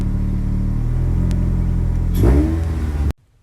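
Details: 2002–2006 Nissan Altima 2.5 L, which usually just clicked on starting; starter replaced. A brief crank catches at once, then the engine fires and revs cleanly and shuts off, with no grinding or whirring from the starter.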